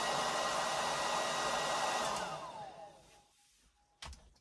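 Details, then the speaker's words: Babyliss S144B hair dryer, PAT tested, plugged in to prove it works: steady high airy rush from small fan motor running evenly, falling tone as it winds down when switched off; normal running. "So we know it works. All right. Yeah. So it's a Bablis. What are we? An S144B hairdryer."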